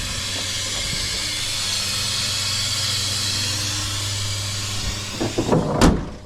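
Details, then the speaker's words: Nissan Titan, AC with a compressor newly installed the day before: loud, steady gas hiss over a low engine drone, then handling bangs, as refrigerant blows out of a burst AC line, with a big cloud and AC lost. "Well, looks like we don't have AC now. And a big cloud of smoke come out from underneath it. It was the refrigerant."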